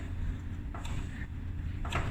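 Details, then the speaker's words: Maytag dryer whose blower fan was hitting its housing after reassembly: after hammering the housing out for clearance, low, soft, even rumble with only light thumps and no scraping; dryer now runs quiet. "banged all the inside around it and i think we're good to go not hitting nothing now there we go she's quiet"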